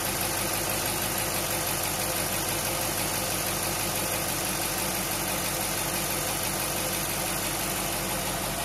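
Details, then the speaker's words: Willys truck engine first start after rebuild and 12 months sitting, cold day; steady even idle settling quieter, all cylinders firing, no stuck injectors, no check engine light; normal idle. "yeah real quick last time took a good 20 minutes for the idle C now now it's getting quieter sounds like it's running on all cylinders"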